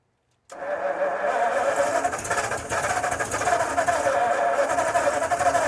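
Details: 1952 Ford F-1 first start in 28 years, after an oil change (gas in oil), carb rebuild, PerTronix ignition, and new plugs, wires, cap and rotor; timing being adjusted. It cranks with rough, uneven sputtering without settling, flooded from too much choke and needing more air.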